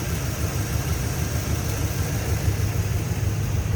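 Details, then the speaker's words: 1961 Chevrolet Bel Air flat top, recently remanufactured 283 V8 with Turbo 350 automatic, hood open at idle: smooth, even low rumble with a steady beat, no ticking, knocking or exhaust leak puffing; a healthy idle. "as i said sounds good listen to what you don't hear you don't hear any motor noise exhaust leaks in like that swoop"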